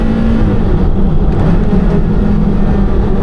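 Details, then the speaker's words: Porsche Carrera GT V10, first drive after recall work: smooth even engine drone under road noise, revving freely and instantly like a motorbike, no knocks or misses; healthy. "It just revs so freely because you've got that you've got like no flywheel, I think it is. It's kind of like a motorbike. It just revs straight away."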